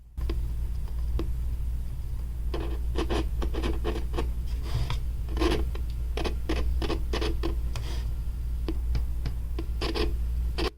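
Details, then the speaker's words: Nylavee soundbar speaker: irregular scratchy pops and crackles over a low hum when the plug is inserted, rotated or tapped. The same happens on another computer; an unstable connection is suspected. "While plugging the speaker, you could hear that weird clip sound already, and that happens if I try to rotate this."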